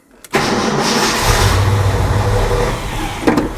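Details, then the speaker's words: 1968 Ford F100, 360ci V8, 4-speed: starter churns loudly for about three seconds but the engine never fires, cranking without starting, during a test after wiring a new Autometer tachometer to the coil. "Well, truck needs to run, but hey, you saw it work."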